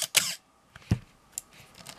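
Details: Canon AE-1 Program 35mm SLR with FD 50mm f/1.8 lens, fired at slow speeds around 1/8 s with aperture stopped down, pre-sale check. Sharp click then a brief harsh high-pitched rasp: shutter squeal ("Canon cough"); everything else worked.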